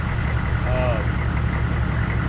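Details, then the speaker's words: 1994 2500 diesel truck after a new fuel filter; it fired right off after the glow plugs cycled off, better than before. Steady low diesel idle with an even beat and no misfire or stumble; it runs clean. "But as you saw, I let I let the uh glow plugs turn off and as soon as I hit the key, she fired right off. Actually fired off way better than she ever did before."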